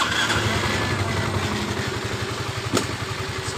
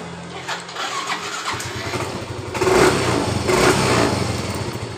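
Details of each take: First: Yamaha Mio M3 125 with weak power: with the key off, the starter spins and cranks as soon as the battery is connected, and the fuel pump also hums continuously with the key on. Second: Yamaha Mio M3 125 after tapping the sticking starter relay that kept the starter running with key off: short starter spin, engine catches into a steady putter, no starter run-on; normal start.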